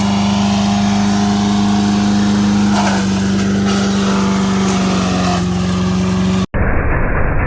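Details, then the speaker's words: MTD 5 hp single-cylinder chipper/shredder, owner guesses 1990s-built, running after carburetor kit fitted: steady drone whose pitch sags a little as branches feed in, then holds; normal running under load. "great making pretty quick work of this pile here but it is work so it's an mtd five horse chipper shredder"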